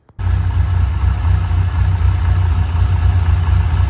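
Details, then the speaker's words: 1997 Dodge Viper GTS V10 after a tune-up with new spark plugs: fires up and settles into a deep, steady idle with no stumble. The earlier misfire is gone. "okay so i turn it on and it sounds a little bit better i mean it doesn't sound like it has a misfire anymore"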